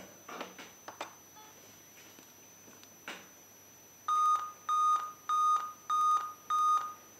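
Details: Laptop/PC at startup: five steady high beeps about half a second each, repeating roughly every 0.6 s after handling clicks; startup POST beep error, cause unknown.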